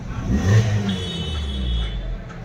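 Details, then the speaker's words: Suzuki Baleno after fixing a bent silencer that touched and rattled with engine vibration at idle and on acceleration: a short rev gives a smooth, deep exhaust note with no rattle or buzz. Normal exhaust. "तो silencer हिलता था तो आवाज़ ए रहा था अभी कुछ आवाज़ नहीं है गाड़ी एकदम परफेक्ट है"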